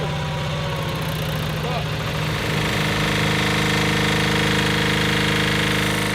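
Engine note settles into a steady, even beat of about 220 a minute with no knocks or misses; the compressor runs healthy.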